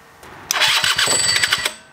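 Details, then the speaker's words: Rebuilt scooter two-stroke engine (old parts reused, no new ones) at its first start: fuel squirted into the carb, no tank, 30:1 oil mix for break-in. Short, firm cranking with a sharp pop that nearly catches, sounding much higher compression than before. "hey that sounded like a spark already just turning over i can tell this sounds like it's much higher compression"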